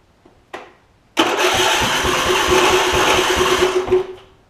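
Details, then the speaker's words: Husqvarna YTA 24V48 rider (hydro-swapped), 24hp Briggs V-twin, ~190 hours, heavy oil consumer: starter click, then a few seconds of rough uneven firing that dies; exhaust pushrod fallen off right cylinder. "I have been able to kind of get it to at least crank over and run very briefly."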